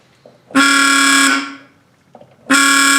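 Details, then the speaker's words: Harley ST165 motorcycle restoration, testing a replacement horn (old one corroded and dead): two loud, steady deep buzzing blasts about a second each, like a big truck; horn works normally. "We're checking out the difference between this horn and this horn. And we're gonna let you listen to the noise."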